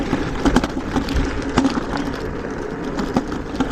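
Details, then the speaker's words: iScooter IX4 electric scooter (48V 800W, 10-inch wheels) ridden off-road on a rough dirt path: irregular sharp creaks and clicks through the rattle, matching the bumps. The front suspension is creaking, and the rider also wonders whether the battery is loose. "Ça c'est les suspensions avant. Donc ça c'est un peu gênant quoi."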